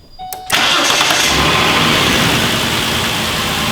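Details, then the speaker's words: 2008 Ford Explorer just after replacing a completely plugged fuel filter: quick crank, catches at once and settles into a steady, even idle with no stumble or miss; normal start, idle much improved. "there you go just burn like a kitten again after starting it and taking a look it's already a massive difference idle"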